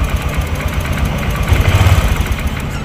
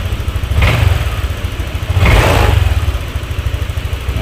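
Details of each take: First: Honda Vario 150 scooter, hard to start, worse after washing: low idle stumbling with uneven, lumpy thumps; spark visibly leaking from the plug cap, causing the misfire; cap to be swapped for testing. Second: Honda Vario 150 scooter after rusted, arcing spark plug cap was replaced: steady even single-cylinder beat, two clean throttle blips rising and settling without stumbling; no misfire, brebet cured.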